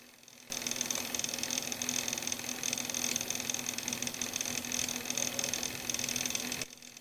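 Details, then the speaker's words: Laptop/computer cooling fan running: harsh hiss, high thin whistle and low hum, the fan very noisy from a dry, worn bearing, before repair. "but there is a problem with a computer the fan is very noisy"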